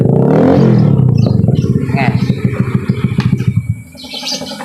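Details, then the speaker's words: Honda Beat FI scooter revved after a pulley replacement fixed a worn crankshaft from a loose crankshaft nut; even firing pulses with no rubbing or scraping from the CVT, and the kick starter engages fine. Normal revving, no CVT rubbing. "Aman, nggak ada mentok. Si selaannya pun aman, nyangkutnya beres semua."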